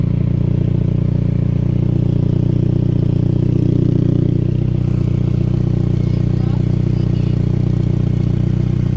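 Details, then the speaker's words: 2002 Saab 9-3 convertible idling, exhaust from underneath: regular low puffing tick about three per second; after readjusting the clamp, small leak remains at the crack in the clamp but much better and less rattly. "We readjusted the clamp down there, and it's like leaking a little bit in the little crack that there is on the clamp, but as you can tell, it's much better, a million times better."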